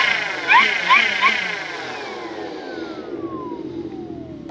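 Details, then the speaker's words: FMS 1500 mm P-47 Thunderbolt RC plane with a brushless 4258-KV460 motor, 80A ESC and balanced prop, during a ground run-up after the maiden flight. A sharp whine with rough bursts, then a falling tone as the motor spins down; owner suspects a magnet issue. "That to me that almost sounds like maybe a magnet."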